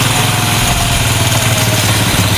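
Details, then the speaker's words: Honda Supra 125 after an engine rebuild with new valves and an aftermarket camshaft, at a deliberately high idle. Fast, even idle with a smooth buzzing exhaust and no ticking or top-end rattle; engine sounds healthy. "saya bikin tinggi kayak gini karena ini kan posisinya ryen lah ya setang nya takut terlalu seret nah ini suara angin dari sini overall suara mesinnya sih aman ya halus"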